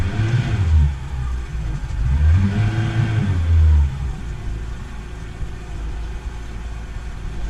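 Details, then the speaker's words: Boat's healthy port engine revved as a control against starboard engine with suspected dirty fuel injectors: climbs cleanly through quick revs and settles without stumbling or breaking up; normal revving. "So basically, I'm gonna use this as a control, the port engine as a control, to show you how it should rev and how it should sound."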